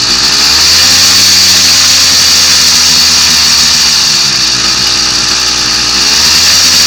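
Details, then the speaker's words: Two-stroke kit motor on a Columbia motorized bike, now warmed up. Steady, buzzy, high-pitched idle, even with no stumbling or surging, runs clean. Normal two-stroke idle. "yes he's idling now he's had to warm up a little bit that makes me happy"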